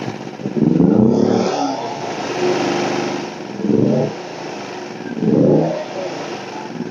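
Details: WEN 2000-watt inverter generator, about a year old, in for a no-start under warranty; initially thought to need a valve adjustment, fixed by clearing a clogged spark arrestor. After repair the small engine surges and settles every couple of seconds under light load, running fine.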